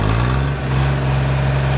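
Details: Ford tractor with a three-cylinder diesel, run at full throttle. A steady, even diesel drone with a strong low hum and no knocks or misses; healthy at high revs.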